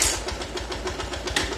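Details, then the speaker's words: Honda Titan 150 with original cylinder, after running with the oil pump not feeding the top end; piston replaced, noise persists. Sharp regular ticking about seven per second at idle, coming from the top end, likely the valve train. "O barulho vem de cima. Só que ela rodou sem óleo."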